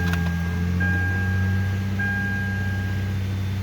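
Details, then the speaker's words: Toyota Avalon V6 after timing belt, water pump, thermostat and spark plug replacement, started and left running to warm up: steady, even idle hum with a smooth low drone, no ticks or knocks; runs normally. "Everything sounds good."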